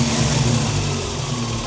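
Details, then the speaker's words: Toyota 22RE engine just after LCE billet big bore throttle body and new TPS install: steady, even idle with a smooth low rumble and no misses or knocks, sitting a touch high; owner thinks it's because there's no coolant. "Listen to that thing purr. I'm idling a little high right now, but I'll make some adjustments on that."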